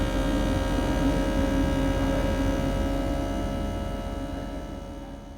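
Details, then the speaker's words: Inverter AC outdoor unit, AC fan motor with capacitor; smooth low compressor hum whose tone varies continuously as speed rises and falls, fading as it slows, no clatter or grinding, normal running. "Compressor की नॉइज़ में continuously variation आता है। जैसे जैसे स्पीड घटती बढ़ती है इसकी आवाज़ में भी फ़र्क आता है।"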